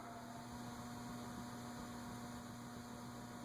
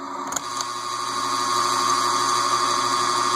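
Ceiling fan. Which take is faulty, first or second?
second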